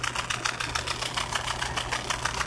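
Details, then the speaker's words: Washing machine in its spin cycle: a rapid, harsh rattling buzz about six bursts a second over a low drum hum. The drain pump is dead and failing; a good pump should only hum almost inaudibly. "este es bueno la bomba de acá está defectuosa por eso tiene ese sonido normalmente debería solamente zumbar casi imperceptible al oído pero ahorita está sonando horrible porque está muerto la bomba"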